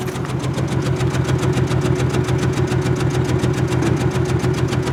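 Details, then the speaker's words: 2003 Honda Accord, 165,348 miles, at idle: loping uneven idle stumbling about twice a second; misfire from a dead cylinder, flashing check engine light, noted as needing number 5 coil, spark plug and valve cover gasket. "Hear that misfire in it though. But it does run."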